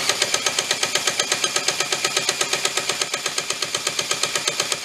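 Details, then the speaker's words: Antique reel lawnmower, donated and not run in years, started on a repair table with choke open, mixture screw two turns out and primer fuel: sharp regular metallic clacking about 100 per minute over a thin engine run; sounds terrible, cause unknown. "that should have wented what does she sound terrible clacking away"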